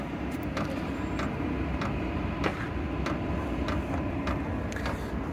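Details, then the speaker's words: Vevor 5 kW diesel heater starting up, set to H3 then H2: sharp light 'tac-tac' ticks about every half second over a steady fan rush; the fuel pump starting up, normal operation. "Là, le tac-tac que vous entendez, c'est la pompe qui se met en route."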